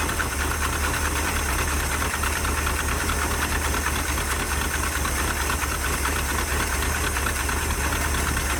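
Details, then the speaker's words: 1977 Dodge D150 Adventurer 360 V8, first start after sitting 12 years: loud heavy lumpy idle with rough uneven pulse and smoke; owner suspects chewed-up plug wires dropping a couple of cylinders. "I don't think we're running on very many cylinders. Those plug wires have been chewed up really bad. So I think that's a lot of smoke. I think we might be dropping a couple cylinders here and there."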